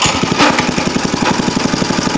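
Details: Go-kart small single-cylinder engine after the no-compression fix and carburetor diaphragm check, muffler hot, idle screw slightly adjusted: crisp, even thumping about eleven pulses a second with no misses or stumbles; healthy idle.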